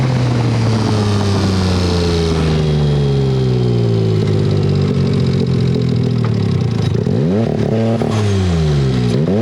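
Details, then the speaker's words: Turbo EFI car on street tires with low gearing: the engine pulls, then the note turns ragged and uneven like a twin as boost builds, with no power (about 80 hp) and it won't rev. Owner suspects blown factory Mitsubishi Mirage coil-on-plug coils; replaced with Hitachi R35 coils. "with low boost you can hear in that footage when it does hit that point where it starts to break up it sounds to me like a twin"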